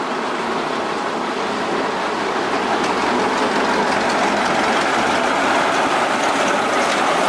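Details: 1926 Twin City gas engine in a 1926 Northwest 105 dragline runs with a steady metallic clatter of about four knocks a second: a rod knock that needed fixing before it broke through the block.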